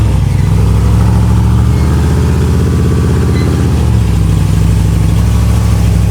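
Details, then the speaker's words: V8 with regular port injectors, about 76,000 miles, reportedly tuned by others: deep loping idle with uneven lumpy rhythm that never settles; running rich with strong fumes, judged badly out of tune. "it is running rich might I might I might pass out of here it is horrible"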